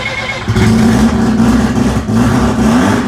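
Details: Car with turbo intercooler newly reinforced with bracing straps for 35-40+ psi boost, everything reassembled, first run in about two weeks: engine catches and settles into a strong steady run, revving smoothly with no hiss or stumble; normal start and revving.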